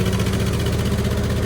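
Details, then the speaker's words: 1970 International 434 tractor right after distributor timing adjustment: smooth, even, low-pitched engine note held steady under a light rev with no misses or knocks; running right. "there's a rev up pretty good so I'll tighten that bolt up and and try and see"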